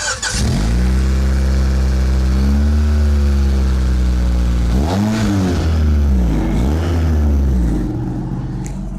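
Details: Car after hitting road debris: engine starts into a loud, deep, raspy drone that blats louder with each throttle blip, from a new exhaust leak.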